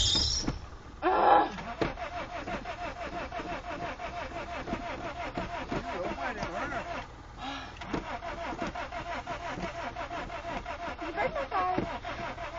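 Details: Honda Civic VTEC, fuel injected, long cranking with pedal pumping, regular rapid beat slowing as battery dies, never catches; owner suspects flooded engine, battery went dead; cranking no start.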